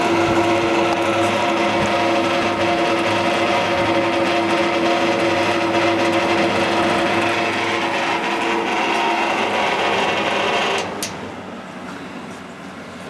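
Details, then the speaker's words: Vintage two-speed electric fan, possibly model 1250, original cord, gives a loud steady humming whine with a fast buzz on high, excessive motor noise, then much quieter on low; it otherwise works. "it's excessively noisy on the high speed but it's tolerable here I could imagine somebody wouldn't want to listen to that it work seems to work fine"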